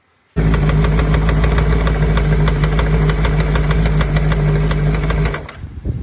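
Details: Chinese 600cc motorcycle engine (赛600) at about 6000 km: deep, hard knocking several times a second over the running engine. On teardown, one crankshaft main bearing shell was abnormally worn through to the copper layer.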